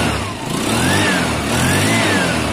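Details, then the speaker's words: Scooter started on the button and blipped, front caliper off so it can't be test ridden: revs rise and fall smoothly through two blips, no misfire or rattle; normal revving, good running bike. "but it is a good running bike"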